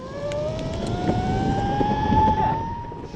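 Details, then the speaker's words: Meepo V3 electric skateboard hub motor while riding: steady tonal whine slowly climbing in pitch over road rumble; abnormal motor noise, cause unknown. "now his his motor is making a weird noise and we don't know why but it still works"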